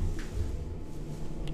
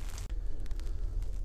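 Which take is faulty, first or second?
first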